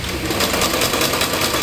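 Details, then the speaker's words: Luxor sewing machine after oiling to cure a cricket-like chirp: a smooth, even whirr with steady stitching rhythm and no chirp or squeak; the noise is gone and it runs healthy. "you can hear that it no longer makes the noise it used to make, which was ñeque ñequ ñque ñe."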